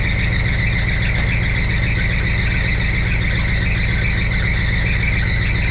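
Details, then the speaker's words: 1962 Chevrolet C10 V8 idling, oil pressure 50, warming toward 180 temperature, timing being adjusted; continuous high shrill squeal over steady idle from loose alternator belt slipping, needs tightening; belts later replaced. "Gotta tighten that alternator."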